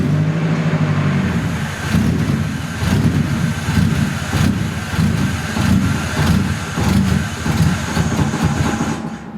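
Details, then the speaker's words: Nissan 240SX, first start in two years after a rebuild onto a new chassis; it runs cleanly for about a second, then surges and stumbles in an uneven lope about once a second, never settling. Rough running, cause unknown. "It actually sounded like it was running perfectly for like 1 second, and then something happened and it started loping almost."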